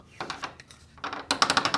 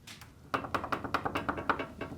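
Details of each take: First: Garage door before fitting roller stem sleeves: sharp, high-pitched metallic rattling in quick bursts from the roller stem hitting bare metal inside the hinge tunnel. The sleeve muffles it. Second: Garage door roller shaken after fitting a sleeve on the roller stem in the hinge tube: quick soft, dull clicks, the rattle now muffled, no longer the earlier high-pitched sound.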